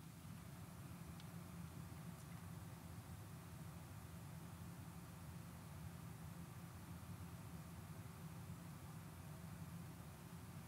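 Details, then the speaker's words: AMD X570 motherboard PC after replacing the broken grinding chipset fan, lav mic beside the PC window: soft steady fan whoosh, AIO fans ramping slightly under load, no grinding, rattling or ticking; normal quiet operation. "i can't hear anything here's the aio you might hear the fans a little bit but that's it yeah so you can hear the fans ramping up a little bit right there as my computer's doing some stuff but that's all i ever hear"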